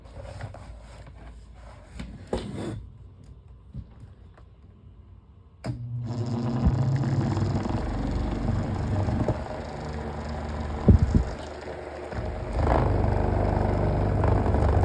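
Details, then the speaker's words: Electric fan running without its cages at speeds one and two: a low steady hum with an uneven shaking rattle as the warped blade, not seated in the motor-shaft notches, wobbles on the shaft. "you see it's vibrating around here like that and then speed one speed [Music] two so vibrates a lot easier without the cages"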